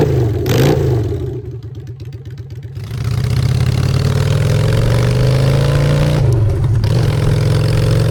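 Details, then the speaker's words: Honda Shadow V-twin with new custom exhaust pipes, on choke in neutral: cranks, fires and settles into a deep lumpy idle, then revs up cleanly and drops back smoothly; normal healthy idle and revving. "Let's hear the bike for the choke out on neutral."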